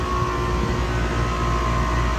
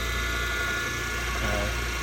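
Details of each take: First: Trane CGAM air-cooled chiller, circuit two compressors A and B under load: a steady, even drone with no knocks or rattles. Water is 51°F entering and 46°F leaving against a 45°F setpoint, with 114 suction, 405 head, 14 subcooling and 12–13 superheat. Running normally. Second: Older chilled-water pump on an air-cooled Trane CGAM chiller, running at about 210 volts per leg without overamping: steady hum with a faint rough, gritty edge from slightly worn bearings, mild but not too bad.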